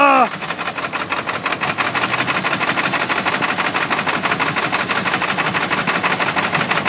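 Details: 1995 Ford F-250 Powerstroke with a failed glow plug relay, cold, started on ether: sharp, uneven clatter about three knocks a second right after it fires, rough cold running.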